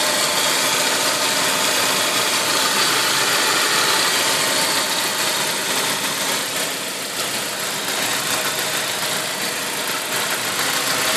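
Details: Saab 9-5 turbo engine, turbo 10,000 km old, running E85, not fully cold (about 30 °C). Steady hissy idle with a regular tapping around 210 per minute; the source of the abnormal noise is unknown.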